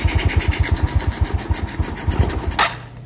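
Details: Yamaha Mio Soul scooter just fitted with a Supra carburetor; even steady putter around nine beats a second, no stumbles, then shut off: clean normal idle.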